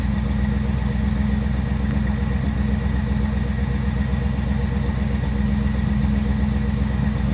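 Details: 1957 Chevrolet Bel Air at idle after a Seafoam top-engine-cleaner soak; earlier stoplight misfire that shook the car now gone: even, steady idle on all cylinders with no stumbles or skips.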